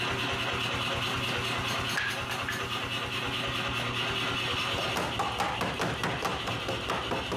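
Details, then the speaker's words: New 55 kg C41 pneumatic power hammer after cleaning factory sludge from the piston and re-oiling: steady mechanical hum with even blows about two per second, harder near the end; running properly again. "So, this thing is once again working correctly and it is excellent at destroying 2x4s."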